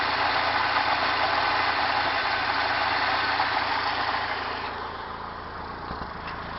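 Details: 1992 Mazda B2600 at idle: idle lopes with a steady stumble about three times a second; misfire of unknown cause.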